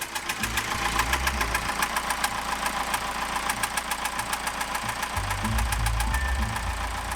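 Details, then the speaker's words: Sailboat's newly rebuilt engine idling in neutral on departure from the marina, with a sharp regular knock about three to four times a second over the engine note; knocking noise, source unconfirmed, mechanic being contacted. "can hear this funny sound started from the engine um Karen just went into neutral and is having a look at it right now"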